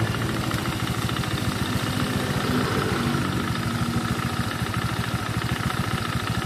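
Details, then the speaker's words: Honda Vario scooter with suspected oil burning, oil leak and a rough engine, idling warm with the CVT removed: rapid, steady knocking about three or four per second from inside the engine; worn connecting rod, crankshaft or balancer area. "Oke teman-teman, ini suaranya dari dalam mesin."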